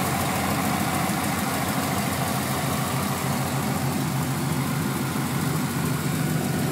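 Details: 1996 Camaro Z28 LT1 V8 at idle: even rumble with a light, quick ticking on top, about three ticks a second, from the valve train; owner wonders if valve adjustment is needed, cause unconfirmed.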